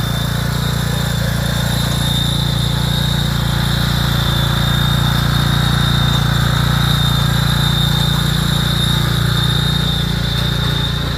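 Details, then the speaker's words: Ride mower hauling gravel: a steady high whine over the engine drone from a failing hydrostatic transaxle after Lucas additive was put in the transmission to quiet it; it's on its way out. "That dear friends, that is what a hydro sounds like after somebody decided to put Lucas in the transmission in order to make it sound quieter one last time. It's on its way out."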